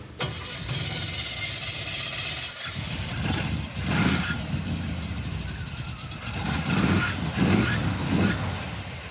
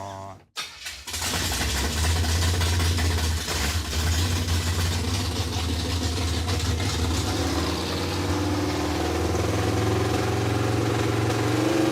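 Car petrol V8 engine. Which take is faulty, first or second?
first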